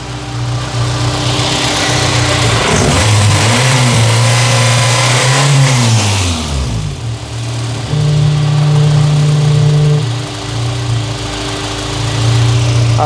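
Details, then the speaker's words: Honda Civic: after revving, a wavering foghorn-like whoop swoops up and down as revs fall back to idle; owner wonders if it is the PCV system; cause unknown. "It makes a bit of a wailing noise after I give it some gas. I have no idea what this might be."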